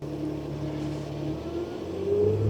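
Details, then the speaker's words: Mercedes Sprinter diesel van at -7°F, on a portable jump starter after many glow plug cycles and failed cranks: the diesel catches and runs with a steady rumble, pitch climbing as RPM rises; successful cold start. "Whoa, here it goes. Oh yeah, we're started. Yes. Look at the RPMs go up."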